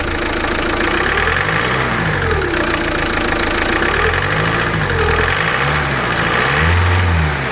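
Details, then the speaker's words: Diesel engine with a light, fast, irregular ticking (clicking) on a slight rev that fades when revved harder. Pump parts were already replaced, injectors not yet. Scanner and memory checks show no faults. Owner suspects a regime-range issue with poor pull. Source unconfirmed. "دروك يشغل عندي كليكاج. اسمع، هنا راه راح تتشاك. هاي كي جات تتشاك اسمع الكليكاج."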